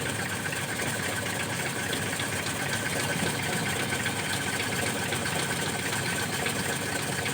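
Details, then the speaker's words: Car fitted with a TCI pulser module replacing a dead ignition module, started cold: catches immediately and holds a steady, even idle with a smooth low churn and no misses. "Ini kondisi mesin dingin. Oke, kondisi mesin dingin. Ini kondisi mesin dingin langsung nyala ceker."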